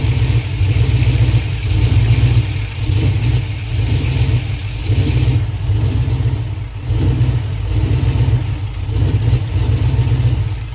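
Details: GM 5.3 V8 swap with lumpy idle surging and dipping unevenly every few seconds and a stumbling beat under light revs; misfire suspected, fuel pressure being checked, cause unconfirmed.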